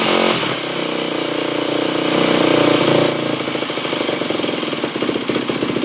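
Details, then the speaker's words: 2008 Yamaha WR250F on first startup after a carb rebuild and FMF Powercore slip-on, choke on: blipped revs hang, then the idle stumbles and bogs off idle. A lean mixture was first suspected but later proved wrong. "Well, you can hear that massive hanging idle and bog right off of idle, so that means it's running really lean."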